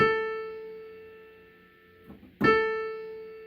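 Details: Casio PX-850 digital piano after octave shift, A4 played in A5's spot: note rings out cleanly twice and decays smoothly with no popping. Popping on A5 follows the octave shift, so a synthesis/processor fault is blamed, not the key.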